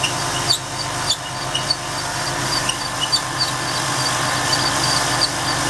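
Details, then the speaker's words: 2004 Ford F150 Heritage 4.2 V6 at idle, fan clutch removed: high, scratchy irregular chirps about a hundred a minute from the belt drive; the replacement water pump, only about 4,000 miles old, is suspected as the source. "I think I kind of hear a sweet rear that sleep yep there's a squeak oh my goodness there's definitely a sweet starting oh there it goes"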